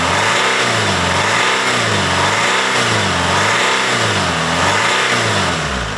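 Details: BMW 120d E87 with the M47 diesel after replacing all four glow plugs (fault code on cylinder 2) and cleaning heavy carbon from the inlet manifold and EGR valve: runs smoothly with steady, even revving about four times a second, no misfire or knock. Normal idle and rev.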